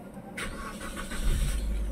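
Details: Suzuki Swift that had not run for four years, after parts were removed, cleaned and refitted: quick crank, catches at once and settles into a smooth, even idle; normal start.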